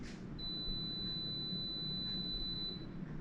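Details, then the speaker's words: Theodolite powering on after the orange on/off button is held: one steady high-pitched beep lasting about two and a half seconds as the display appears; normal power-up. "you're going to press and hold the on and off orange button and you're going to hear this beeping and the display and once you hear the beeping and see the display you can release it and it will turn on"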